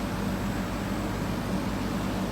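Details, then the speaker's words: Air conditioner after capacitor replacement: low steady hum with soft airflow, fan now working properly, compressor barely audible and no longer straining, pressure stabilizing around 120–125 psi; normal compressor operation. "casi no se escucha es muy bajito ya que tiene el ventilador funcionando de forma correcta si el compresor ya no se está esforzando más de lo que debería"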